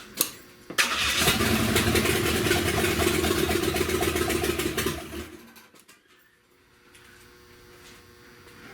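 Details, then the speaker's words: 1970 Buick Wildcat 455 V8 with no exhaust, after a wire was hooked up: catches right away and barks loud and even for several seconds with no knocking heard, though it won't stay running. "fired up. It sounds pretty good. Sounds pretty good."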